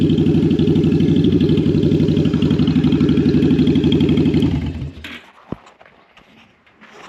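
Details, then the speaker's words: Jocker bobber two-cylinder motorcycle with Cobra exhaust on initial cold start: lumpy, uneven thumping about four beats a second; front cylinder suspected lean, its exhaust port cool while the rear got hot, firing once warmed up. "On initial start, I'm pretty sure the front cylinder was not getting enough fuel. The front exhaust port was pretty cool while the rear one was getting quite hot pretty quickly."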